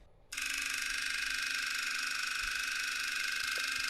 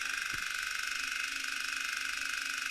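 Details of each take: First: DIY high-voltage mechanical switch-mode supply using two relays as oscillator, one transformer coil as inductor; characteristic even machine-gun relay buzz at steady pitch, much higher output voltage, frequency unchanged under load; normal stable relay oscillation. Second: Relay-based high-voltage mechanical switching supply; steady high raspy buzz with fine crackling as relay contacts arc, sparking stronger at higher voltage; frequency no longer load dependent but very inefficient.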